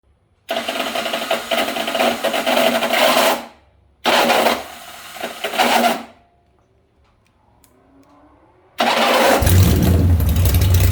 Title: hard start 1